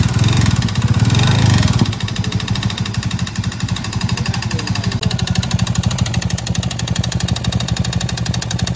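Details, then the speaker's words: Honda Beat Deluxe scooter arriving for a 140 cc BRT bore-up idles loud and coarse, with a rattling, clattering knock; the cylinder liner is loose, and oil is leaking out with the CVT wet inside. "bre Buset suaranya kasar bener ya bang untung nyampe lu bang dari Kalideres ke bengkel kita hehe"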